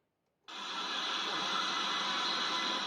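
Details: Konami Lethal Enforcers arcade PCB before repair, coin in: static, hissing and noise in speakers, steady loud crackle with no clean game sound. Custom 054986 sound IC suspected, often dead capacitors or failed chips.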